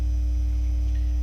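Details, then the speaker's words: Technics SL-Q2 turntable with plastic plinth and vintage Pickering cartridge, volume about 1/3: constant low mains buzz with faint higher whine, grounding noise high on VU meter; quiets when solid ground wire touched to metal plinth, grounding needs redoing. "And you can see by the view meter, it's the feedback grounding noise is pretty high. But if I go to, I've got a solid ground wire in here, and if I touch it to metal, you can hear that it goes quiet."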